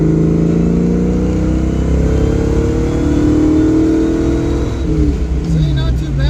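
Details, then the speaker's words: Project Mustang ("Piece Of Stang") with carb and distributor, ignition timing just adjusted and vacuum advance locked out, driving under acceleration: engine note climbs smoothly and strongly with no stumble or misfire; running better than ever, normal acceleration. "right pretty decent response running better than ever see I think it's about ready for our cruise this weekend"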